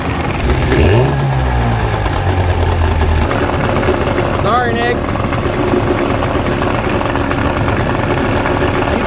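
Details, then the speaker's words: 1989 Johnson 40 HP VRO outboard on a pontoon boat, test run before carb, float, linkage and reed work: loud, uneven two-stroke burble that never settles, rough idle, a little smoky and running rich, possibly from old fuel residue in the carbs. "that noise a little rich"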